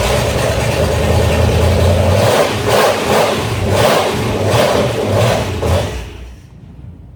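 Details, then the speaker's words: 1969 Dodge Dart V8, engine removed and reinstalled years ago and not run since, started after the no-spark coil wire fix: catches and revs with an even, strong beat, then shuts off. Runs on all eight cylinders and the oil light went off. "that sounds good just running on all eight cylinders and the wall light went off so we got oil pressure"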